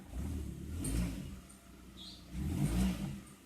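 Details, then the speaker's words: Hyundai Trajet 2.0 after its engine mount bushings were refilled with Lancer bushings: two smooth engine swells when shifting reverse then forward, with no thud or clunk on take-up. The earlier strange noises from excess engine movement are gone. "mundur maju udah ilang suaranya udah nggak ada lagi suara anehnya itu jadi DIY kali ini saya nyatakan sukses"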